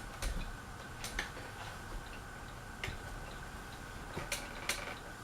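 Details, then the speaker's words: Harbor Breeze Aristocrat ceiling fan on medium speed: faint, uneven light clicks every second or so over a quiet room hum; intermittent fan clicking. "can hear the clicking a little bit."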